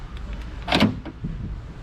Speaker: and that seems to work so with that working guys we're just gonna go ahead and just lock this back over here since now everything is working